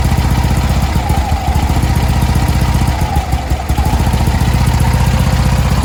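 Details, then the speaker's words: 1965 VW Beetle with Pertronix electronic ignition: idle chuffs unevenly, beat hesitating and dropping instead of ticking over steadily; Pertronix failing again despite an earlier clamp fix, owner swapping back to the old ignition. Unstable stumbling idle, cause suspected. "I didn't want to be uh that guy whose car was stumbling at idle everywhere I went and I just pulled it out and put in Old Reliable because here's what the patronix started doing right before I wanted to drive to this show"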